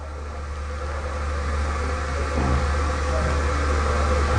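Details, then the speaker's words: Remanufactured 4300-S spin rinse dryer with the SlickDevice controller, small load, ramping down to a stop; even low hum and soft rotor whir with no grinding, then the rotor stop positioner fires, parking the rotor at 12 o'clock before the door releases. "Okay, I just heard the rotor stop positioner fire. You notice how it stopped? It's at 12 o'clock."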